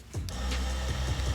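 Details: Water pump in a Toyota 4Runner microcamper, which runs dry if the water container is empty and now has its own switch. A low, steady motor hum starts suddenly and holds an even pitch with no grinding or stutter; the pump runs normally.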